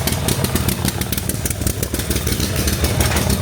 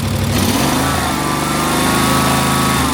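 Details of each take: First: 2005 Snapper ZTR mower, 1,500 hours, new carburetor fitted, running rich: idles rough, then speed creeps up and surges, revving high even on choke; owner suspects throttle and governor linkages are reversed. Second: Snapper ZTR mower from 2005, 1,500 hours, revving uncontrollably before carb replaced; choke open, throttle moved, engine snaps up then governor pulls it back to steady speed, no hunting.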